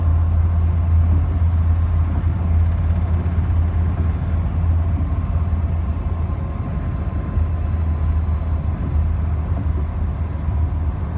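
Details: BMW E30 on the move. Steady low rumble with an uneven deep thump from the rear. Owner suspects a wheel bearing, axle, shock mounts, drive shaft or rear differential; cause not confirmed. Rear thumping noise.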